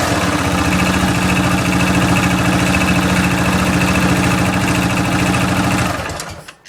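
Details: 2008 Yamaha Rhino idling with the clutch removed from the crank: a fast, steady, maraca-like knocking rattle over the single-cylinder beat until shutdown. The source is unknown.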